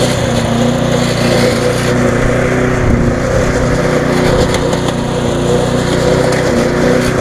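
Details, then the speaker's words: Viking (Stihl) mulching mower with Briggs engine after classic carb refurb, suspected water ingress; steady buzz holding a constant slightly fast speed, smoke easing off, no misses, surging or knocks; running well. "but you see it easing off now the smoke it's running quite well to be on the free button a little bit fast"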